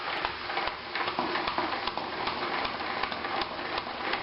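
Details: 3M spin mop that had been noisy and stiff, after the threaded pivot inside was removed, cleaned and generously regreased: spinning with water gives only a soft swish and light ticks, no grinding or squeal, and it turns freely.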